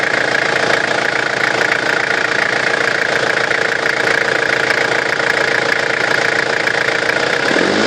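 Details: Running engine with a loud, steady high whine rising in pitch as revs climb; suspected excessive turbo whine from a faulty turbo, not confirmed.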